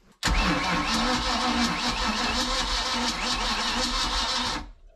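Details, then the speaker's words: Boat with a 454 big block, fuel several years old, about 2 oz of fuel poured down the carburetor. A heavy, laboured cranking for about four seconds that never catches; batteries read 12.4 volts and spin slow: slow cranking, no start. "H didn't sound real happy wonder how the voltage is on those batteries I would think the two batteries together would be okay"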